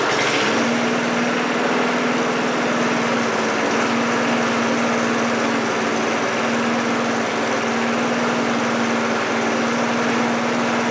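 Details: 1978 push mower, Briggs & Stratton 3.5 HP single-cylinder, after deck repair and repaint, running at about quarter throttle; steady even buzz with no misses, rattles or surging; normal running.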